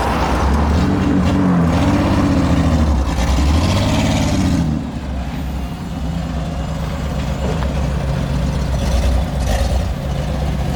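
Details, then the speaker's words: Ford Explorer, six-cylinder, engine pulled up under load in gear: uneven, lumpy, stumbling note; misfire under load, not firing on all six cylinders. "did you hear how it sounded kind of crappy when he pulled it up yeah that's cuz it was under load and it's you know it's not hitting on all six cylinders yet"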